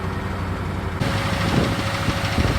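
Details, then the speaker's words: Chevelle 350 small-block Chevy V8 at cold idle after start, warming up; good oil pressure but uneven, lumpy beat with a missing pulse, at least one cylinder misfiring; engine also smokes, cause under diagnosis. "It's got good oil pressure, runs okay for missing on at least one cylinder that I know of."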